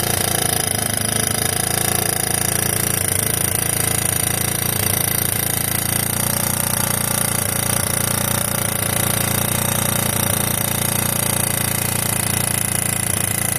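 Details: 1986 Yamaha YFM Moto4 200 single-cylinder ATV running after carb work (mixture screw reset, carb swapped): steady, even beat with no weird rattling or knock over the exhaust drone; normal running.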